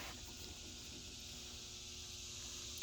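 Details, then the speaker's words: Heat pump outdoor unit running after finding the low-voltage short that blew the transformer and isolating a wire: quiet steady high hiss with faint even tones, no knocks or rattles; running normally. "you hear that that's beautiful that's what we want to hear"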